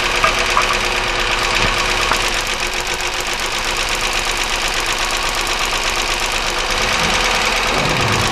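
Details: 1999 Chevy Malibu 3100 V6 at idle during a cylinder drop test with plug wires pulled: an irregular tapping knock at about three per second over a rough idle, with hissing. One plug wire is arcing and bad, but pulling the next one doesn't change the sound; internal knock unlocated.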